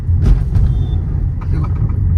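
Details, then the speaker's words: Skoda Slavia driving: low road rumble with scattered sharp rattling bursts over bumps; owner suspects something hit the silencer underneath, knocking it loose, awaiting service center diagnosis. "क्योंकि लगता है नीचे silencer के वजह से कुछ ग गया बहुत ज्यादा"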